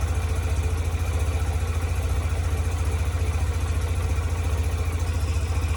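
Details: 2007 Yamaha YBR125 after fitting an upgraded KEMSO fuel pump (it had kept overheating in the sun), fuel primed: even, low putter at about three and a half beats a second with no misses or stumbles; the single is idling healthily.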